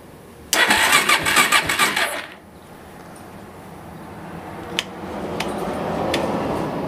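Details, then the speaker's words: Suzuki LT-R 450 ATV: about a second and a half of fast chattering cranking, then silence, no fire; intermittent spark, battery not charged, owner suspects fried CDI since only one spark occurs. "i believe the cdi is bad because no matter what i do i can only get one spark and that usually means a fried cdi"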